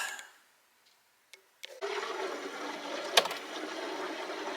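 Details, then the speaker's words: Bosch Tronic 3000T 2.5-gallon water heater in a shop, previously frozen: after a few clicks, a steady rushing hiss of water filling the tank with no gurgle or knocking, filled to avoid a dry fire; normal tank filling. "Hear it filling? Whoa! It lasts. Whoa! Don't want a dry fire on that thing. Let's let that tank fill up there."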